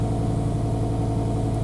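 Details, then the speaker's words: BMW E60/E63 M5/M6 with a failed #9 ignition coil on the driver side: lumpy uneven idle with a slight shake from a misfiring cylinder; dash shows engine malfunction, reduced power and increased emissions, with rpm cut. "it says engine malfunction increased emissions so that's a pretty good sign that something's up i can feel it kind of jiggling"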